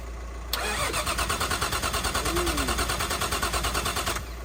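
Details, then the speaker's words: Nissan R33 Skyline with freshly built forged RB engine, first start: starter churns steadily about three pulses a second for four seconds without firing; cause was bad spark plugs, swapped for old ones and it started. "basically it was a spark plugs that's what that's why we're cranking it just turning over and it wasn't firing"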